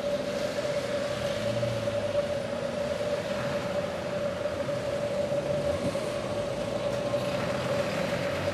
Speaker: First, let's listen to a water leak heard at a fire hydrant without the help of noise reduction technology. The water leak sound is a constant noise, almost like static noise.